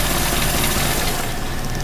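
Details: 1985 Mazda B2000 ute, 2L carbureted engine with distributor, after new points, cap, rotor, condenser, recent clutch and oil change: a steady, even low idle with a smooth hum and no knocks or misses. Runs like a dream. Normal idle.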